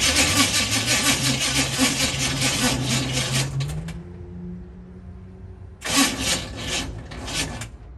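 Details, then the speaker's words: 1964 Chevy C10 with HEI ignition, sitting 7 years: starter drags the engine slowly at about three labored turns a second, pauses, and retries without firing; dead battery suspected. "too good it did turn over but sounds like we got a dead battery"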